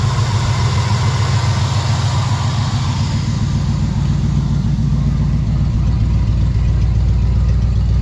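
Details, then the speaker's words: Small-block Chevy V8 with a big cam after a carburetor swap, idle set slightly high; steady, even V8 idle with a deep regular burble and no misses or knocks, sitting a little high but running smoothly and normally. "It's fixed good enough. It's actually running decent. It actually moves under its own power now."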